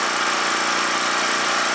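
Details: Scrapyard generator revival, after cleaning, tipped toward carburetor side, choke on: steady even hum with no misses, knocks or hunting; idling smoothly and healthily.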